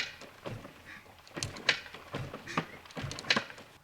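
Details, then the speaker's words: Yamaha YZ465 dirt bike, engine off, rocked back and forth in gear: irregular metallic clanking about every second or two, suggesting loose or damaged internals. Cause unclear; engine awaiting teardown. "okay let's give it a few gears and I'll show you what this thing sounds like you hear that hear that clanking in"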